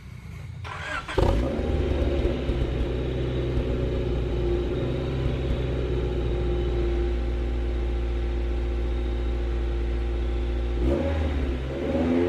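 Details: Swapped H22A Honda Prelude (5th gen) race car, after ignition misfire repair (plugs, wires): engine catches, settles into smooth even idle and takes a quick blip cleanly; misfire fixed, leaking valve cover still pending.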